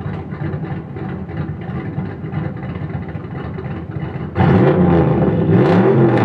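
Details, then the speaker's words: Boosted Fox-body Mustang V8 at idle and revving; lumpy idle with a sharp puffing tick that gets louder and raspier when revved. Slight exhaust leak. "a little walk around of the boosted Mustang. Slight exhaust leak."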